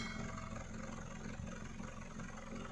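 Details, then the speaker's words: Hyundai Verna Fluidic 1.6 L petrol, earlier misfiring in one cylinder with exhaust pops, after repair: steady even idle burble, RPM stable, no pops, no silencer vibration; check engine light on, code P2127 accelerator position sensor 2 low found next. "उससे पहला silencer में देखते हैं पटाखे जो मर रही थी अभी थम गए हैं कि नहीं। अभी पटाखे बिल्कुल नहीं है। एकदम नॉर्मल आवाज"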